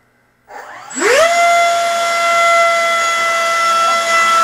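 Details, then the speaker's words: FMS F-15C Eagle 64mm EDF model on a 3S battery, sleeve vibration problem already fixed: fan spools up within half a second to a steady high whine without flutter or rattle; normal run-up. "all right let's see uh this is what it sounds like 3s and then we'll check vertical"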